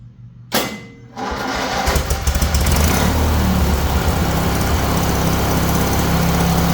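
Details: Huskee riding mower bought second-hand, started with the battery still not charged and jumper cables removed, before a blade engagement test: brief crank, then it catches and settles into an even, steady single-cylinder run; normal.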